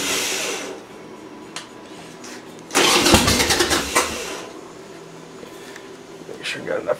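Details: Harley Sportster with a new battery, in neutral with a little choke: quiet, then about 1.5 seconds of harsh cranking and no firing. Cranks but won't start; the bike fouls plugs badly, and flooding or carburetor setting is suspected, not confirmed.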